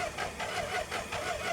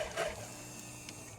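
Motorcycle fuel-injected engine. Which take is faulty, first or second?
first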